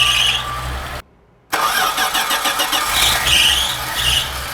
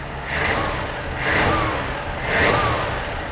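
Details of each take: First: 1980 Dodge D150 truck with a freshly rebuilt carburetor and new fuel filter: engine cranks raggedly, cuts out, then catches unevenly while fuel is still filling the float bowl. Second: 1980 Dodge D150 after carburetor rebuild with the main air bleed screw two turns out: three clean throttle blips, each rising and falling smoothly back to a steady idle without stumbling.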